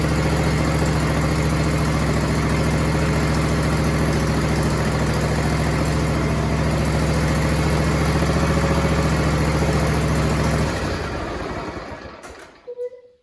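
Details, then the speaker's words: John Deere and Suzuki "Frankenstein" outboard build, started on choke then muffler fitted: smooth, even idle with steady low thrum for about ten seconds, then winds down and stops; much quieter, normal running. "Oh, let's put this muffler on now. And I've got the pipes to do here. Now let's see what it sounds like. Much quieter."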